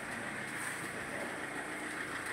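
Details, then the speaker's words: Mahindra XUV500 diesel idling in neutral: loud constant rattling buzz over the engine note, whole engine vibrating; belt looks possibly cut, owner suspects a failed bearing or tensioner; broken belt tensioner. "पूरा vibrate कर रहा घर घर घर घर और इसका शायद बेल्ट भी कटा हुआ है बेल्ट भी शायद कटा हुआ दिख रहा है"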